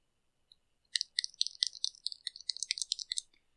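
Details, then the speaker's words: Poulan P4018 Wild Thing chainsaw that won't start, carburetor metering diaphragm pressed by hand after removing its stuck cover: sharp, dry clicks, several a second. The diaphragm is stiff and can't push the metering lever to open the needle, so the carb kit needs replacing. "yeah they're not supposed to make noise so the fact that it's stiff means it can't move up and down it can't push on the uh metering lever to open the needle to allow fuel into the carburetor"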